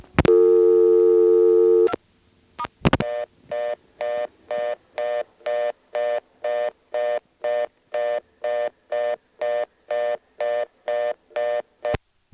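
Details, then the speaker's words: ITT Pentaconta crossbar office, Asheboro NC, March 1977: after dialing 2 then star, a short steady tone then clean on-off bursts about two per second, the real reorder tone. "completed 2 the real reorder tone"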